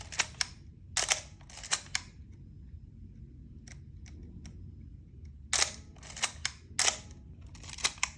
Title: The infamous Canon A-series coughing/squeaking sound. #canon #filmphotography #35mm